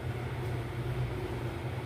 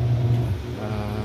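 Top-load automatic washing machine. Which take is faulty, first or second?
first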